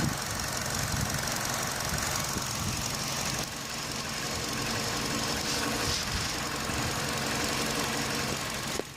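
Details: Running engine heard through a selfie stick touching the part, knuckle to phone mic: a busy, uneven buzzing rattle from the radiator fan housing, previously diagnosed as loose.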